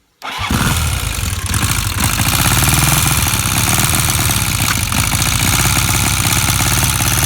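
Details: Honda CB 400 motorcycle engine fires and settles into fast idle with crisp, even ticking over the exhaust note; owner asks if it is engine pinging/ticking, source undetermined.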